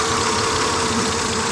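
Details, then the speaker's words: 2000 Honda Accord V6, check engine light flashing, misfiring despite new spark plugs; coil unplugging test shows cylinder 3 not contributing: busy, slightly uneven lumpy idle that skips now and then; cylinder 3 dead, coil suspected. "all right so the only one that's not contributing is cylinder number three"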